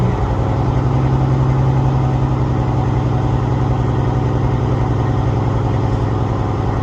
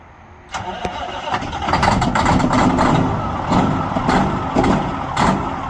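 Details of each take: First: All right, she's all the way to cut out. Shut her back down. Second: A Peterbilt 379 that sat almost a week, started for the first time in this cold (about 38°F in Georgia, wind chill below freezing). It catches after a brief crank, then runs ragged and lumpy. Rough cold start.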